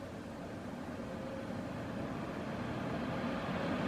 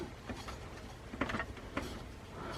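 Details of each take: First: New desktop PC build on first power up, after loosening a fan screw cured a noise: the case fan ramps up slowly, an airy rush climbing louder and higher with a smooth tone and no rattle. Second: New desktop PC build at first power-up: light uneven ticks and scrapes about every half second over faint fan whir as a blade hits something; owner suspects fan disturbed while cleaning or something stuck behind it.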